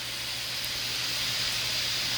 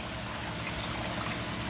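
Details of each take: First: Panda stainless-steel spin dryer spinning a wet test load makes a loud steady high hiss and whine, much louder than a Ninja dryer running at the same rpm. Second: Ninja spin dryer (no electronics) spinning with the Panda unit switched off: a faint steady motor hum sits under louder trickling and dripping water, and the dripping is louder than the dryer. It spins quietly and normally.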